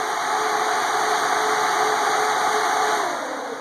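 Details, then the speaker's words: LS-swapped Chevy S-10 with CPW harness and dual-speed fan control: both cooling fans on high, commanded at 210°F (low at 201°F), a loud, steady rushing roar with faint hum, normal operation. "So what happens in normal operation is it gets up to a temperature, in my case 201. The fans kick on like this, and if it hits 210, they kick on like that."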